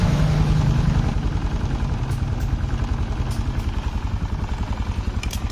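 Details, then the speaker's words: Jupiter MX after new boring and cylinder head, freshly started: even, steady low putter, about three and a half beats a second, no knocks or rattles; smooth healthy idle, radiator coolant normal, not spitting. "Suara mesin lembut, air radiator normal nggak nembak."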